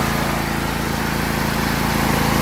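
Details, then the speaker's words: John Deere L118 with Briggs & Stratton Intek V-twin 22, consuming oil: steady, even chug at idle with a hissy rush on top, plenty of crankcase blow-by; owner hopes for rings and hone, fears cracked piston; cause unconfirmed. "Here's the oh my blow by. Now you see plenty of blow by, too much blow by."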